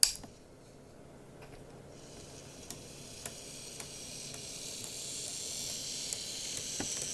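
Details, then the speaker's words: Graham Farish Class 44 model locomotive, later split-chassis version, on a test track: soft high hiss from a quiet motor with a sharp click about every half second; a split gear on an axle is suspected, not confirmed. "you can hear that clicking and i've had a look underneath and there's nothing stuck on the wheels or anything like that it's pretty quiet so i'm quite happy with the motor there the problem is that clicking i believe is going to be a split on one of the gears on one of the axles"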